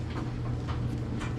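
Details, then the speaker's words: Acura RSX engine idling with the belt off, AC ruled out, harmonic balancer looks fine: dull knock about twice a second from low in the block; rod bearing or rod knock suspected. "Still makes a noise. Doesn't look like the harmonic balancer separating or anything. It still sounds like it's coming from down in there."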